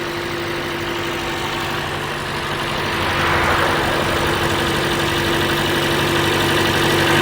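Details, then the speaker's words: Toyota Corolla 1.8L, after replacing a defective fuel pump assembly to fix a crank-no-start: steady, smooth idle with an even low hum and a brief rev rise, no stumble or miss; 50 psi fuel pressure, fixed. "okay this is is fixed we have 50 psi at the gauge the engine runs good so we're good to go"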